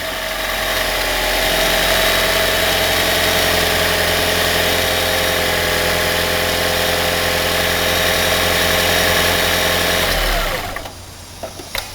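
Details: Gen 3 Toyota Prius, 2ZR-FXE engine, baseline start before an ignition coil was disconnected: the engine catches and holds a smooth, even buzzing idle for ten seconds, then shuts off cleanly. A normal start with no knock.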